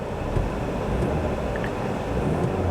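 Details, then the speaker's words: Roush 427R Mustang with 96,150 miles revved at a standstill: steady engine note rising and falling smoothly through the revs, no knocks or rattles; engine sounds healthy, normal revving. "revs nicely sounds good"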